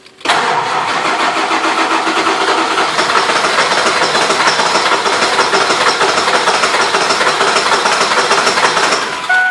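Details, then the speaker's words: 1999 Ford F-350 7.3 diesel farm truck, relay and other parts already replaced, CPS and IDM suspected next: long steady cranking, engine catching only weakly and never settling into its own idle. Fires but won't keep running. "times and still they're no good good results and watch as you'll hear it'll turn over I'll fire it just won't keep running"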